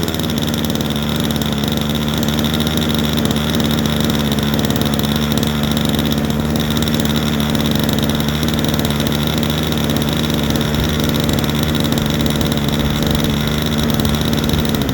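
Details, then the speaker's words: Super Tigre 90 glow engine in a Super Chipmunk RC plane, just primed and started: a steady, slightly uneven buzzing drone at low rpm, needle set about three clicks rich to lubricate the bearings before going higher. "i have it set rich probably about three clicks rich i like to run them lower rpms a bit get all the bearings lubed up before i take yours up too high"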